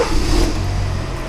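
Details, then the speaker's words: 2013 Kia Forte 2.4L 4-cylinder with intermittent crank-no-start after engine detailing; once ECM communication returned with no fault codes, the engine catches and picks up smoothly into an even run, sounding pretty good. "okay so it started and the engine is running it actually sounds pretty good"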